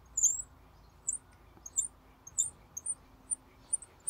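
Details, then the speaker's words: Mini Cooper S R53 radiator cooling fan motor, turned slowly by hand during an overheating diagnosis: short, thin high squeaks at uneven intervals from a rusty bearing that makes the fan hard to turn; motor segments were fine. "the fun segments is actually good but at some points where the bearing is kind of rusty and you can hear the the noise it makes and when it starts to squeal like this it becomes really really hard to move there you go"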